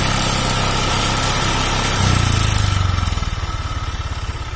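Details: Honda Vario 125 fuel-injected scooter with a rough, uneven idle and a coarse clattery pulse that stumbles as revs fall. Worn piston loose in the cylinder block, giving weak compression and hard starting.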